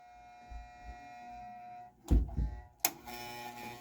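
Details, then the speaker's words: Harlem Globetrotters pinball machine under restoration, powered on as the CPU boots: steady fixed-pitch electrical buzz with a couple of clunks from the interlock coil, still energized because its wire was not cut as intended. "that's that interlock coil i was talking about i forgot to cut that wire"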